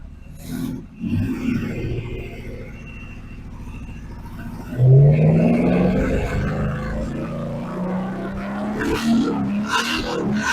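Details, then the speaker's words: Chevy 283 small-block V8 in a Ford, long dormant, rusted and formerly stuck, with electronic ignition and timing advanced. It fires up rough, then revs to loosen the rings and settles to a steadier rumble: normal running and revving. "at least she runs I had to Riv it up a bit to loosen the Rings up cuz the motor has been rusted and was stuck but there we go"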